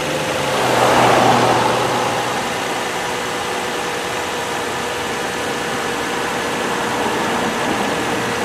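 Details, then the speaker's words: Car that sat 11 days and cranked oddly before, popping until it started: even settled idle after brief rev, steady low hum, no ticks, knocks or squeals; runs fine. "And it runs fine. Nothing wrong, no odd sounds, nothing wrong at all, etc."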